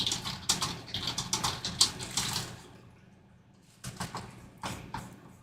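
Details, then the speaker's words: Original Apple HomePod that plays about 10 minutes then shuts off and makes interference noises: irregular hissy crackle bursts, two or three a second, fading in and out; suspected DC offset from failing DC filters, not confirmed. "That sounds like classic DC offset symptoms, those DC filters going bad and letting too much of that DC voltage through."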